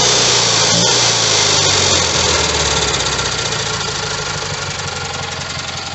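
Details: Rebuilt Kohler Magnum M18 single from a Cub Cadet 1882 on a test stand: fires right up, quick even putter about four beats a second, no knock or stumble; healthy running engine.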